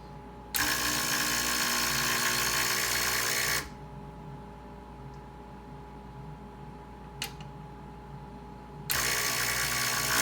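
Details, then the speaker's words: Breville 800ESXL espresso machine after replacing the ULKA EFP5 pump (120V 60Hz, 52W): on switch-on, two bursts of an even, high-pitched steady buzz as the pump draws water from a nozzled container while lines are purged of air; normal pump operation. "So as we turn this on here, beautiful. That's the noise that I'm looking for."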